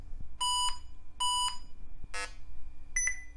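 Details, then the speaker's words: IBM ThinkPad 560E retro laptop at power-on; two long beeps, a short chirp and double blip with POST errors 161 and 163, one believed to mean a bad CMOS battery. "oh we are angry 161 and 163 I'm pretty sure one of those means a bad CMOS battery"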